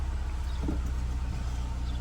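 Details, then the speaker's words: 2012 Scion tC 2.5L, about 98,900 miles, cold start: smooth steady idle near 1,000 rpm holds unchanged with brake pedal pressed, no dip, after fixing low idle while braking (brake booster vacuum line issue). "so I'm gonna push on the brake and you see the idle didn't change stayed almost almost a thousand because it is a cold start"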